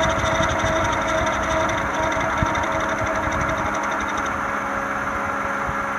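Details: 1996-2001 Toyota Camry 4-cylinder at rough, shaky idle: uneven rhythmic ticking and knocking about three beats a second from a failing harmonic balancer, before replacement.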